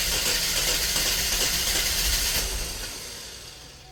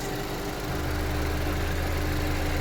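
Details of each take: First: 2010 Chevy Equinox, about 112K miles, burning oil with heavy blow-by, during a Seafoam ring-cleaning treatment: engine catches, runs unevenly, nearly dies then picks back up, struggling to idle; owner suspects it sees no airflow. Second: 2010 Chevy Equinox, about 112K miles, warmed up after Seafoam ring cleaning, possibly overfilled with oil: steady, even low idle with smooth hum, no uneven pulses, and blow-by gone; normal warm idle.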